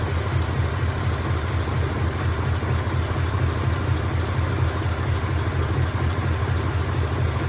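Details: 1952 Mercury flathead V8 idling with a line disconnected and capped during timing light test; idle good, owner guesses no vacuum leaks; deep, even burble, no hunting, hiss or stumble; owner notes weak horsepower when driving.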